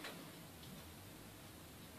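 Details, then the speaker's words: Hard drive in an eight-bay wiping setup (3.5in and 2.5in laptop drives) during Active KillDisk wipe: faint, irregular clicks over a low hum; failing hard drive clicking. "of them is failing I can hear it clicking it's not a good sign"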